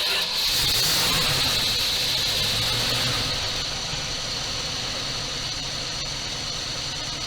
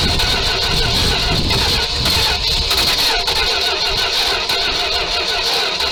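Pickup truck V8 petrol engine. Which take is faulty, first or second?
second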